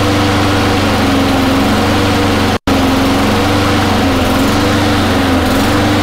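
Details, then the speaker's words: Honda mower with the choke turning off and the flywheel key already checked intact: the engine pitch drifts up and down instead of holding a level rpm; a hunting governor, attributed to a dirty, partly clogged carburettor. "so as you can tell even though the choke is taking a sweet time turning off which is normal um it just wasn't saying to level rpm the surge is up and down"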